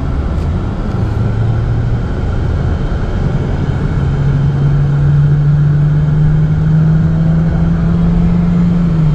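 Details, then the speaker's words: 2013 Chevy Cruze 1.4 turbo test drive after catalytic converter repair, no check engine light; engine note climbs smoothly and evenly, no stumble, accelerating normally. "well it's accelerating like it should"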